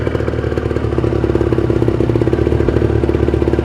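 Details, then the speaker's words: Kawasaki Ninja 150 RR two-stroke cold start, kick-started after fuel primed with ignition off: fires and settles into a quick, even crackling idle, no knocks or misses; rpm allowed to rise to about 2000–2500 until fuel circulation is smooth. "biarkan rpm nya itu naik kurang lebih sampai 2000 2000-2500 kalau dia sudah tenang di angka RPM tersebut berarti sirkulasi bahan bakar sudah lancar"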